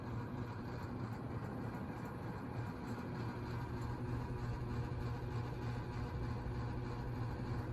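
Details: Newer antique-brass Lasso/Sears Turn of the Century 4-speed ceiling fan with skeletal motor and Fasco bracket, on speed 4: steady low hum with an even soft rush of air, no ticks or wobble; runs smoothly, normal running.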